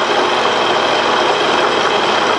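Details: Pratt and Whitney lathe in gear turning a flat belt drive pulley on a 2-degree taper, about 20 thou cut: continuous harsh, hissy scraping with no crisp chip sound; worn cutter needs changing.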